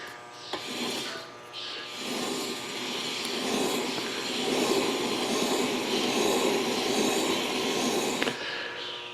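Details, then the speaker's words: 2012 Cadillac CTS front passenger-side wheel bearing, tire removed, hub spun by hand: rough gritty rumbling grind swelling and fading, matching a speed-sensitive groan while driving; worn wheel bearing, replaced. "You hear that, hear how noisy that is? You shouldn't hear that at all."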